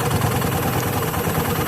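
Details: Automatic scooter after CVT/roller area repair for a rough rattling engine noise: even, steady low idle with no rattle or knock; normal, smooth.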